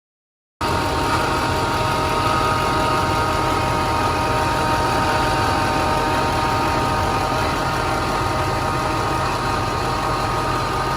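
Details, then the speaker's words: 2006 Duramax diesel, 17 years old, idling: a steady, variable whirring whine that first sounded like the alternator comes from a worn idler pulley bearing. "I ended up started with a whine. It sounded like an alternator whine. Eventually I'd almost call it a bit of a whirring noise."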